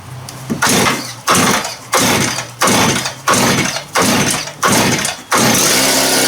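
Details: Just-rebuilt two-stroke cut-off (quick cut) saw on its test run: it snaps up cleanly through about eight quick throttle blips, then holds a steady high rev; runs pretty good and sounds healthy.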